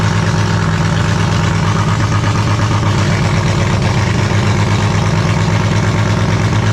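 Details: Holden grey motor six in a HAMB dragster with triple Stromberg carbs during carb synch: loping uneven idle with irregular low beat and choppy exhaust; high cam overlap means it hates idling below about 1600 rpm, pumping raw fuel out the exhaust.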